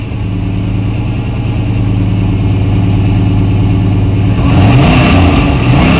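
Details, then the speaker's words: Car's first start after sitting a long while, with fresh gas, transmission fluid topped up, battery reconnected and fuel pressure confirmed: even idle picking up into a brief rev with no knocks or misfires, judged healthy. "okay well that sounds healthy sounds healthy"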